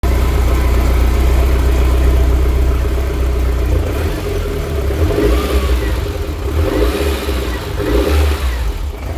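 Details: BMW E30 M3 with S14 engine on individual throttle bodies: lumpy idle with uneven, irregular stumbles breaking the firing rhythm, a random misfire at idle.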